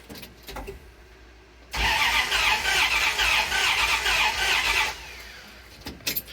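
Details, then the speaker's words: 1951 Dodge one-ton with a turbocharged (GT45) 1995 5.9L Magnum V8 after burnout-pit damage, cranking on a compression tester. The lumpy, uneven beat shows it is not firing on all eight, with one cylinder at 60 psi. A blown header had torched a plug wire, and the motor is judged done. "you can hear that is not that's not a nice even v8 sounding fire let's see what we got over here oh yep 60 pounds of compression not even well oh this motor's done"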